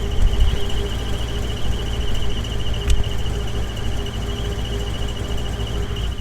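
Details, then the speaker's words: GMC 2500 Vortec V8 truck, warm engine: steady high squeak over low rumble, traced with a listening stick to the bellhousing area, not belts or transmission; follows engine speed, rises with revs. Owner suspects something internal rubbing; earlier oil-pressure loss, cause unconfirmed. "not a crazy crazy loud noise but i don't like any noise inside of an engine and you know god damn well something's eating something in there"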